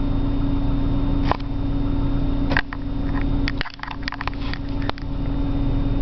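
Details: 1997 BMW 328i on a morning cold start: idles with an uneven, lumpy beat and occasional stumbles and dips in level; rough idle of unclear cause.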